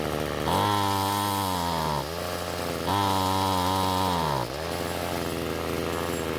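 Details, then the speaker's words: Ryobi two-stroke trimmer that wouldn't start, after turning carburetor H screw counterclockwise for more fuel: revs cleanly to a high steady buzz twice and drops smoothly to idle without bogging; running much better. "so what i did was turn the h screw counter clockwise to give the engine more fuel and after squeezing the trigger the engine ran much better"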